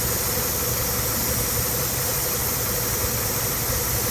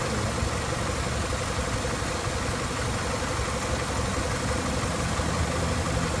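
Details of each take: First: Car with hissing noise and lean check engine light at idle: steady airy hiss over even idle that stops when a vacuum line is pinched off, engine then smoother; leak where that vacuum line connects. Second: Engine at idle after repairing a hissing vacuum leak, found by pinching hoses, and hose trimmed and refitted; P0171 lean code gone: even, steady smooth low rumble, no hiss or stumble over twelve seconds; normal idle.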